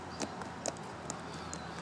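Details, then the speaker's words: Worn O-ring motorcycle chain flexed by hand, compared with a zero-play new chain; light sharp clicks about every half second as links move at the worn pins: worn chain link rattle. "And on this one, you can see and hear that the chain links move and rattle at the pins."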